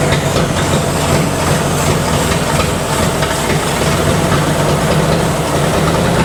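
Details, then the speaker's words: 1964 Ford F250, 223 engine, idling after being started: steady but slightly lumpy idle with an uneven low beat from unequal compression across cylinders. Runs, doesn't sound horrible despite messed up compression. "It's got some messed up compression, but it runs, doesn't sound horrible, and it's gonna probably go out of my shop."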